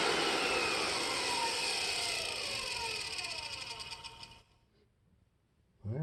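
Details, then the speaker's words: Compact TriStar C8 two-speed vacuum, replacement Ametek motor after rebuild with new bearing and grease: high clean whine winds down smoothly after switch-off, no grinding, rattle or scrape; bearings healthy, commutator still dirty and awaiting polish. "pretty smooth still need to polish that commutator though so let's just run it for a minute"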